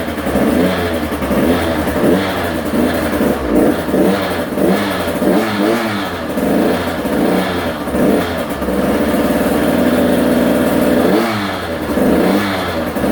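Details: Husqvarna TC85 two-stroke, first start after a crankshaft, piston and bearing rebuild, smoking heavily: a crisp rasp that rises and falls cleanly with each throttle blip and stays steady between revs. It runs healthy.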